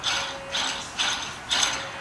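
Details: 1986 Ford Mustang GT with a new Trick Flow engine: an old idler pulley spun by hand gives a dry, gritty rasp in four quick bursts. The owner suspects a worn, grinding bearing; the pulley is being replaced along with the water pump and thermostat.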